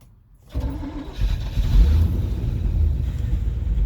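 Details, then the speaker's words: 1989 Chevrolet R30 cab-and-chassis with 5.7 V8 TBI, SM465, rebuilt throttle body, new regulator, sensors, tank, lines and 60 psi pump: fuel pump and relay click, then engine catches, idles rough and low, sags and dies without throttle. "There's that idle I was talking about. Good, and it just dies. No throttle."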